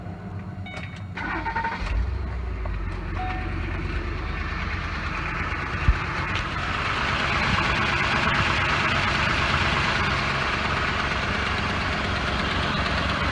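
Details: 2006 Ford Explorer Eddie Bauer V8, after replacing bad squeaking pulley: cranks, catches and settles into smooth, even idle with no squeak or chirp from belt drive; sounds healthy.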